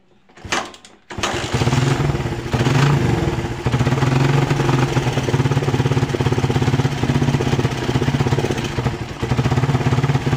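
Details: Kick-started carbureted motorcycle running lumpy and popping unevenly, as if over-fueled, despite a cleaned carburetor. The misfire was caused by a loose spark plug cap, fixed by tightening the cap so it bites onto the plug.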